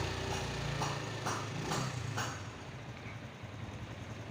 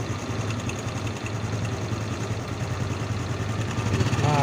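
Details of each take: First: Honda Supra X 125 single-cylinder at idle, smooth and even with no rattle or chain slap; the engine had shown an occasional rough rattle, worse when revved, fixed by adjusting the cam chain tensioner spring, so this is after repair. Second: Honda Supra X 125 engine idling rough with a metallic chattering rattle that comes and goes, not yet severe, louder when revved; mechanic checks cam chain tensioner and chain; suspected cam chain tensioner rattle.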